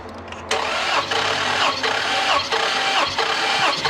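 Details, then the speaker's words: Hellcat/TRX-type engine in for a misfire: a known-good cylinder cranked as a reference, an even rhythmic starter churn with steady compression pulses and no stumbling; normal cranking. The scope showed oil and fluid in cylinder 3. "So we're going to show you a good working cylinder. We already found one issue, but we'll show you just so you can see. Go ahead and crank it."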